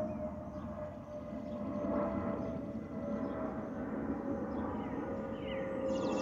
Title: Delta Airlines Airbus A320-212 N350NA DL1167 LGA-DTW (FOPP whistling sound)